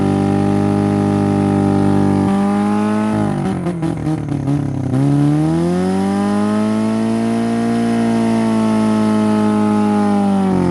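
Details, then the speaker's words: Derby-damaged Honda Civic, timing and plug order checked, concrete mix fed in while revving: steady high revs sputter and stumble a couple seconds then recover; owner suspects compression loss, unconfirmed. "oh that's so disappointing it didn't I don't think it likes the concrete mix too much it might be killing compression but I'm not sure"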